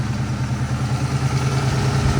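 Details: 302 V8: deep, lumpy, loping idle with an uneven pulse, possible knock, briefly smoothing out then worsening; engine later confirmed hurt.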